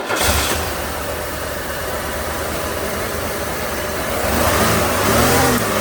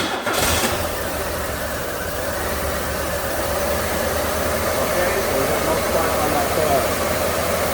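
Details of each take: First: 1994 Buick 3800 tuned port, cylinders one and four firing again: steady even idle, no stumble; coil leaking, number four plug gap wide, plugs, wires and coil to be replaced. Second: 1994 Buick 3800 tuned port, pre-OBD2 with no misfire counting, running very poor: lumpy loping idle with missing pulses; one coil pack not firing its two cylinders, coil or ignition module suspected.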